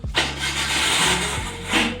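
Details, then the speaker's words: Maruti Alto 800 in neutral: brief starter whir dropping away as engine catches in one try, then harsh scraping hiss; noise during cranking, source not pinned down, starter gear replacement proposed but owner doubts it. "Start तो हो रही है गाड़ी एक ही बार में, लेकिन इसकी ये आवाज़ आ रही है कहीं से।"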